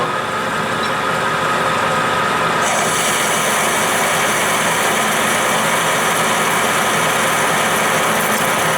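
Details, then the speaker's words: Accusize QTR 22 parting tool on a lathe cutting half-inch 6061 aluminum at 300 rpm, no lube: steady spindle hum, then an even smooth cutting hiss with no chatter, squeal or sticking; clean parting cut. "I slowed things down a bit we're down to 300 rpm aluminum is a lot stickier I might need to leat use lube on power feed but let's just give it a shot and see"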